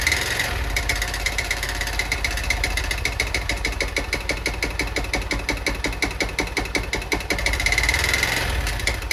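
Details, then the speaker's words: Honda Bros 160 motorcycle at idle: sharp, uneven tapping knock a few times a second; owner suspects a piston knocking up near the cylinder head, likely needing a cylinder and piston kit. "aí pega a visão do barulho que está fazendo no motor galera parece ser um pistão batendo aqui em cima no cabeçote não parece"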